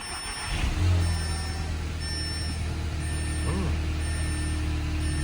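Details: 2015 Audi A3 first start after replacing camshaft adjuster magnets and refitting the timing cover; it previously ran rough at idle and stalled. Starter whirs, engine catches within a second and settles into a steady, even idle with no stumble or misfire; normal start-up.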